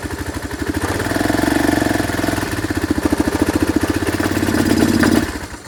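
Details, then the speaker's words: Chinese 150cc scooter (Moto Cooper Revo) found on the curb, ignition bypassed: it catches and chugs unevenly, surging and sagging, then dies; it fires only when primed, and a fuel delivery problem is suspected. "it seems to fire up only when you feed it so it has a fuel delivery problem"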